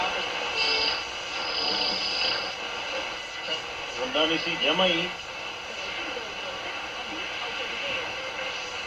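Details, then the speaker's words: 1956-era radio with early integrated circuit after repair, internal rod antenna: clear station audio with no mains hum underneath; receiving cleanly. Normal reception, no hum. "so as you can hear it's working very very well and that's just on a little internal Rod antenna"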